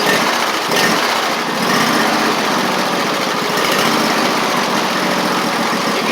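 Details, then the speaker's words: Husqvarna YTH24V48 mower after an engine swap, covers and air filter now fitted: fast, busy idle with a small uneven hitch now and then; it runs better but still stumbles slightly. "hear just a slight stumble still."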